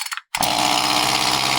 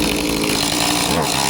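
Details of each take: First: Echo CS-2511T chainsaw with low-power, won't-rev complaint: runs flat, dull and muffled, not revving out cleanly; carbon-clogged spark arrestor screen, with carbon on piston and staining from old varnished fuel. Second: Echo CS-2511T chainsaw after cleaning a clogged spark arrestor screen, which had kept it from revving up: high, buzzy two-stroke note holds steady and strong with no stumbling or sag; running cleanly.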